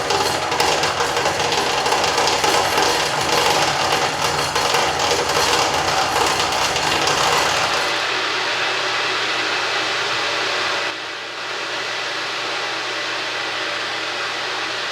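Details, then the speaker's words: Boiler room feedwater preheat sparge tube dispersing steam into the cooler feed water as many small bubbles: a steady, dull hissing roar of small implosions. It grows quieter as the water nears the temperature control valve set point. Normal sparge tube operation. "By generating a multitude of small bubbles, we get many small steam implosions, which results in sort of a dull roar."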